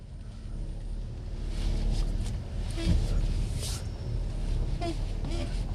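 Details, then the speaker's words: 2005 Dodge Grand Caravan rolling slowly and turning with foot on brake gives short creaking groans over low rumble, heard on test drive after brake job; steering creak at low-speed turns, not brakes. "because normally if you turn in slow if you're rolling slow and you turn it's when you hear it so because your foot on the brake you will think it's a brake noise listen y'all hear that that's steering noise when"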